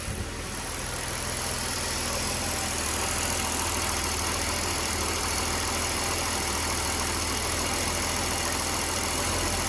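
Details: Mercedes-Benz W124 3.0 M103 petrol six on a Megasquirt MS3x conversion with wasted-spark VAG coilpack, held at steady revs: runs smoothly, then stumbles in a slight intermittent misfire with engine shudder; seems fine under load.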